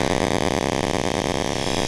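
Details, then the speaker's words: Traxxas Spartan RC boat running with a harsh, steady buzzing rattle, unlike a smooth motor whine; the owner has never seen this before and thinks he broke it. Abnormal drivetrain noise, cause unconfirmed. "yeah so yeah I don't know what the heck is wrong with this I think I just completely broke it"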